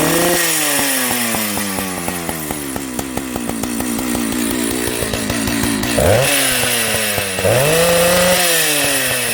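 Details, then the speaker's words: Jonsered 930 project chainsaw restarted at high idle, with a suspected loose spark plug spring connection: crisp, busy exhaust note revving up and down, picking up cleanly and settling back; normal running. "So, it runs. You know, there's a few things I need to do, I believe."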